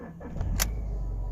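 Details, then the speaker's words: Alfa Romeo 147 engine, about 53,000 miles, cold start: brief click then smooth, even low idle with no rattle or diesel-like clatter; normal healthy cold start. "should sound like that with no diesel noise at all"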